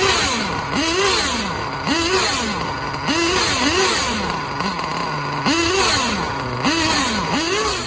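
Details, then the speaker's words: Losi 8ight-T with LRP .32X nitro engine on starter box after swapping stock X-Tech carb for a Novarossi 24063 carburetor: revs blip up and down about once a second cleanly, no bogging or hesitation; healthy throttle response. "So really quick, I just want to show you guys the difference between, I have it on the starter box revving. You can hear and see the difference of throttle response between the two carburetors."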